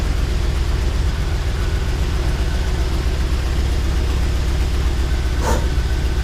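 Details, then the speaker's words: Jeep Wrangler 4.0 engine at idle with a dead miss on two cylinders: uneven, lumpy idle with an irregular low thump that keeps stumbling; misfire from head gasket failure. "Don't know if you could tell or not, but it is not too happy. She's misfiring pretty good."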